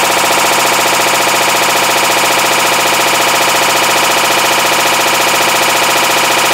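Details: 2012 Hitachi BeatWash BW-D8KV washer, 8 years old, across wash/rinse/spin: loud harsh clatter about 1.5 beats per second, floor shaking; failed clutch (second time), blamed on overloading with laundry.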